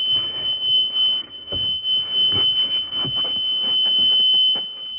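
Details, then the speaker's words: Diesel bus in a no-start, after fuel filter change and priming: a steady high-pitched wait-to-start tone over light cab clatter while the glow plugs preheat; don't crank until the light goes off. "right now the glow plugs are heating up and if I try to start it now it probably won't start until the glow clubs are hot then that light will go off then I will push the button down here"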